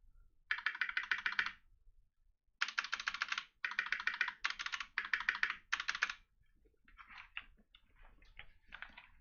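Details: Mechanical keyboard, spacebar and big keys struck: quick bursts of key clatter with a loose tinny rattle on large key hits; stabilizer rattle.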